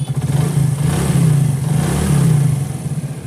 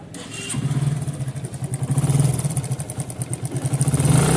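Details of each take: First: Motorcycle after repairing the cam chain tensioner, which had caused khat-khat noise after a new timing chain: smooth even engine note with steady revs and no ticking or knocking; now sounds like new, normal running. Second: Motorcycle after new timing chain: light, rapid metallic clatter over idle that swells with each throttle blip; cam chain tensioner failed, causing the rattle.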